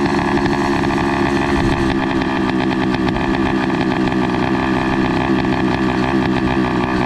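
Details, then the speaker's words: Motorized bicycle two-stroke with NT carburettor: loud buzzy idle that hunts and stumbles unevenly instead of settling. It runs lean, with the carburettor not getting enough fuel through a too-small jet, plus an air leak. "what's going on is his bike is uh like having this weird idol like i was mentioning earlier because um it seems like his carburetor is not receiving enough fuel just to keep a steady idle because this jet is really small"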